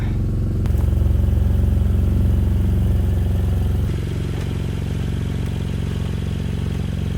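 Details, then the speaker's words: BMW E92 335i, N54 engine, 6-speed manual, started after two to three years of storage with rats living in it: a loud, uneven low rumble with a lumpy beat around three per second. Rough running, cause unconfirmed. "yeah if I were to guess that sounded pretty bad but um let's keep going I guess"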